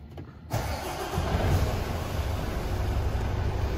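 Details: 2018 Mercedes Actros HGV diesel started after the NOx sensor emissions fault codes were cleared with diagnostics: the starter catches and the engine settles into a steady, even low rumble with no knocks or misses. Healthy start, and no faults or engine light remain.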